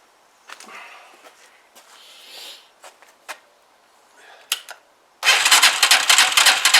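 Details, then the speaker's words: Huoniao HN125 Chinese motorcycle fired up just after fitting a new carburettor, cold on half choke; single catches at once and revs fast and busy, a healthy cold start. "revving, but it's cold and that's on half choke, so we'll just let it warm up a bit."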